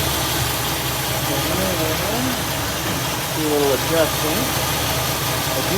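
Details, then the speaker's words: 1964 Buick Electra V8 on first start after swapping the Rochester 4Jet carb for an Edelbrock 4-barrel, warming up to temperature. Even, settled idle with no stumbling or hunting; it ran right out of the box. "happy camper right out of the box boys and girls that's pretty normal with an edelbrock though it usually works right out of the box so i'm gonna let her get up to temperature"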